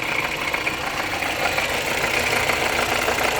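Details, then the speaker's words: 2020 Honda CR-V 1.5 L turbo engine noise traced with a stethoscope at idle; a gritty whirring rattle rises sharply near the alternator compared with the turbo area, alternator clutch suspected. Noisy alternator. "Ahí estamos llegando a la parte del alternador. Wow, certísimo. Ahí está aumentando el ruido considerablemente en la parte del alternador."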